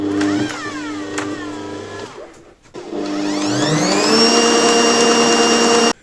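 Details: Bosch MUM5 dough mixer after gear repair: steady motor whine climbing smoothly to a high even pitch and holding, no knocking or grinding; running normally after repair.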